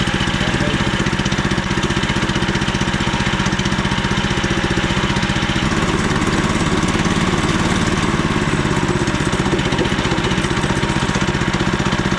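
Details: Frontier OS27 portable sawmill just after swapping its 13HP Briggs & Stratton for a 15HP Harbor Freight Predator engine, first pull-start with no battery connected. Steady, even single-cylinder thrum at constant speed with no misses or knocks; runs smooth and healthy.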